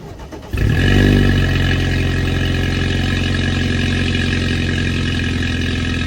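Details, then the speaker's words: 2018 BMW 320i xDrive F3x with N20 engine, start-up after downpipe installation: quick crank, catches and briefly flares, then settles into an even, steady idle with no ticks or rattles; normal cold start. "So we're gonna start it up right now. I'm gonna show you guys a video before and after, and it's a 320 with the N20 in it."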